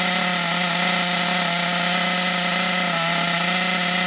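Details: Thunder Tiger EB4 S2 Pro nitro RC buggy glow engine, hot, with reasonable compression, test run: a steady, high-revving buzz at even pitch with no misses or sputters, running clean and healthy, though the fuel supply may be low.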